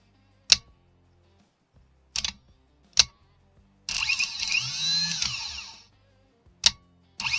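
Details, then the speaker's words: 2018 Chevrolet Malibu starter motor, removed, bench-tested by jumping terminals A and B after click-no-crank fault: sharp solenoid click, then about two seconds of strong high whirring spin-up and wind-down; starter engages and turns normally. "Como pueden ver, está funcionando otra vez el motor de arranque."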